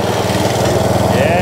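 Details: Atco Balmoral mower sold as spares or repair, started with some throttle and no choke after drive belt work: single-cylinder engine firing evenly at a steady speed with no misses or knocks; runs healthy.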